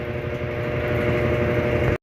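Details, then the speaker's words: Electrolux LAC 13 washing machine after replacing the broken bearing and refitting the belt: smooth, even spin-cycle hum with no grinding or rumble; the loud noise during spin is gone. "agora como a gente pode ver aqui já parou de fazer o barulho na hora de centrifugar tá tudo normalzinho tá tranquilo não tem mais aquele barulhão"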